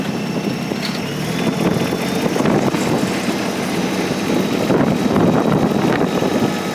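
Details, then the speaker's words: 2019 New Holland Workmaster 25S sub-compact diesel tractor with 100LC loader, in gear raising the loader: small diesel runs steady and even under wind noise, no knocks or strain; hydraulics good. "Hydraulics are good on that. Just bring the loader up."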